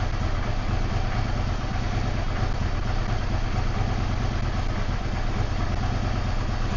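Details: Yamaha V-Star 650 V-twin that wasn't running properly: even low-pitched idle, regular clean beat with no clatter or stumbling; clearing up, oil smoke from rear cylinder, owner thinks oil sucked past rings.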